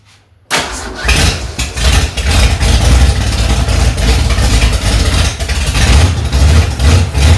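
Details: 1965 Ford Mustang, freshly rebuilt 289 V8, cold first start, carburetor mixture screws set two turns out: cranks briefly, catches and settles into a steady, lumpy low rumble at fast idle, no knocks or ticks; running fine.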